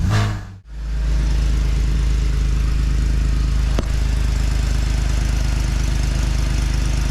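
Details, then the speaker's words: BMW E46 idling after welding leaky eBay headers to midpipe: steady even idle, deep burble, faint hiss owner thinks comes from elsewhere, no puffing leak; normal idle. "Well, that's a huge improvement if nothing else. It still barks, but I don't hear any leaks."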